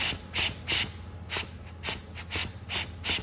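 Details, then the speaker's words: Massey Ferguson 1200 iPTO clutch pack after rebuild, under an air-line test: short sharp air hisses as the pack is pulsed, plates engaging cleanly and working normally. "you can hear the clutch plates doing what they should do."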